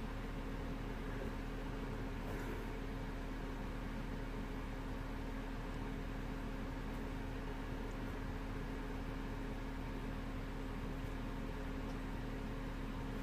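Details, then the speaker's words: 2012 Peugeot 208 with a replacement engine, engine switched off: a steady radiator-fan roar with a constant low hum. The fans keep running at full speed after shutdown, apparently because the AC system is empty and its pressure signal is logged as too low or implausible. "so let me just turn it off now the fans are still kicking in full speed uh why is this doing this"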